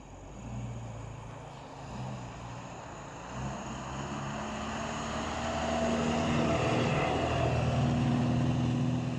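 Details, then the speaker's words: Moskvich 412 driving in winter at about −15 °C: low steady hum building with speed, faint droning tone on top; mild drone while driving. "Все говорят больше и больше ездить не стоит на нем зимой нормально достаточно комфортно Кто говорил все нормально едем едем Да немного гудит"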